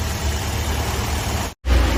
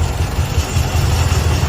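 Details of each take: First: Toyota Vios 1NZ engine after all four ignition wire sets were replaced with cut and crimped joins: idles evenly with a steady low rumble and light rev, no stumbling or misfire; problem fixed. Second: Toyota Vios 1NZ engine shaking at idle with the A/C switched on and no warning light on the dash: lumpy, uneven low throb with stumbling beats; a misfire from rodent-chewed ignition coil wiring.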